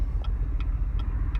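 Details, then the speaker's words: 2016 Chevrolet Camaro idling after it began jerking badly while driving, with no check engine light: low, uneven rumble with a sharp tick about every third of a second, heavy shaking and the RPM needle dancing. Rough idle of unknown cause. "cars running really rough it's shaking vibrating a lot"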